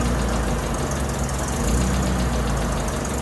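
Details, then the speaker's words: Toyota Tercel, reinstalled 3A-C engine, first start with coolant added, valves not yet adjusted. Catches and settles into an even idle with a light, busy top-end patter. Started really good, sounds healthy. "Wow, that started really good."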